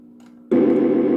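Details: 1965 Northern Electric TeleTrainer two-line phone simulator for Bell Canada, ringer test: a faint hum, then a sudden loud steady buzzing ring with mechanical chatter from something running inside. Ringer and interrupter working normally.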